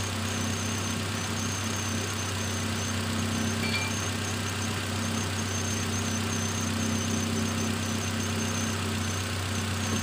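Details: Nissan X-Trail T31 2.5 XC with Xtronic CVT, after replacing worn iridium spark plugs: a smooth, even idle with a steady low hum and no misses or stumbles. The earlier shaking and coughing is gone.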